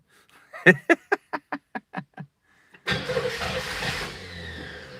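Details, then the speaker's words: Engine started for the first time in 30 years: slow, even cranking at about four pulses a second, then it catches, runs ragged and dies away. Lean stumble because the diaphragm choke stays open instead of pulling shut. "The choke isn't closed, unfortunately. The choke needs to be closed. I don't know why it's not sucking it shut."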